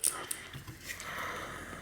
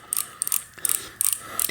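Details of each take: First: 2000 Trek 6000 with Shimano FH-C201 freehub, spun by hand while being flushed: bursts of quick pawl clicks dragging in thick old grease, causing a slack chain when coasting or backpedaling. Sticky freehub pawls from old grease. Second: 2000 Trek 6000 with a Shimano FH-C201 freehub, sticky and letting the chain slacken, turned by hand while being flushed and oiled: crisp, even ratchet clicks that get quieter as the pawls are lubricated. Normal freehub pawl clicking.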